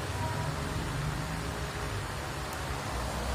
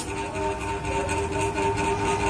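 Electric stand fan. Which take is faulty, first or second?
second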